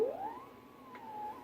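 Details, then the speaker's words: 1926 Sparton 5-26 battery-powered radio with too much gain: thin whistle glides up, then settles into a steady tone at the low end of the dial, dying out when turned down; set suspected to be oscillating. "sound like oscillations down there sounds really been down bit quieter"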